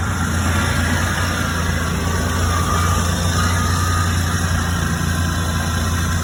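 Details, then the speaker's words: 1975 Ford E100 van V8, gravity-fed fuel, alternator suspected not charging (wiring or alternator) with battery voltage dropping; low, even idle rumble at a steady pace without misses, knocks or ticks; runs smoothly. "man am I happy to hear that I tell you ma"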